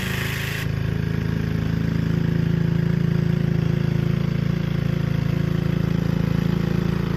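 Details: Gilson rear-tine tiller, a junkyard find from 4–5 years back, test run after cleaning dirt out of the sticky recoil. Steady, even low chugging at constant speed while tilling, with no misses or knocks. Runs well under load. A fuel leak was noted at the tank/carburetor seam.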